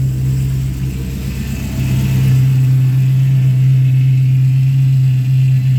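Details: SRT8 with 6.1 Hemi, cold start after sitting weeks in snow, after installing a billet thermostat housing: fires right up, deep even rumble settling into smooth steady idle, no power steering pump whine; normal idle.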